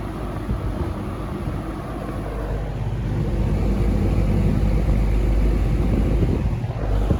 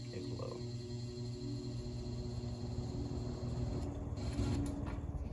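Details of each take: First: Restored, repainted early-1970s Eskimo 20124 fan starting up: soft whooshing airflow building as the motor comes up to speed under a low, even hum, no rattles; running normally. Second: Restored early-1970s Eskimo 20124 fan, long non-working, motor since oiled: quiet steady hum with faint whine and low buzz on low and high; owner thinks the buzzing is vibration, fading at full speed; motor hum and buzzing.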